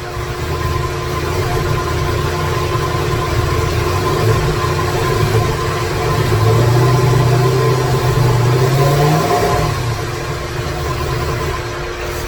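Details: 2017 Corvette Z06 with Texas Speed 416ci stroker, Holley port injection, first fire-up with no tune, no coolant: loud lumpy idle with rpm wandering and stumbling; rough idle from missing tune.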